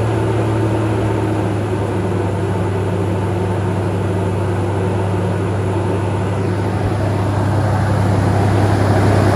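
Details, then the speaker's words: Toyota Tacoma after a fan clutch replacement, with some belt squeak noticed while tightening. Steady low engine drone with an even fan whoosh building slightly near the end, and no squeal or rattle. Normal running. "start it and see how much noise the belt is squeaking like when I was trying to tighten everything there was some belt squeak but I'm going to see see uh what this fan clutch sounds like"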